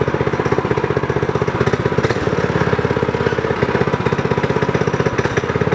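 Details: Homemade go-kart small single-cylinder petrol engine, governor removed, upgraded intake, exhaust and bigger carb jet to fix lean sputtering: quick, even firing beat around four per second, no sputter or misfire; runs clean after the fix.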